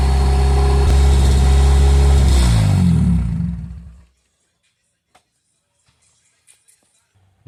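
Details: Custom Honda Civic exo build four-cylinder running once given gas (bad distributor earlier suspected): deep steady rumble with a brief rev, then shuts off cleanly; runs fine.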